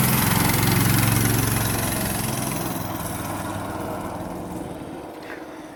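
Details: Predator 212cc 6.5 hp single-cylinder engine newly mounted on Yerf Dog/Murray go-kart with mini-bike clutch: catches, runs a steady even putter, settles smoothly with no knocks or misses; running fine.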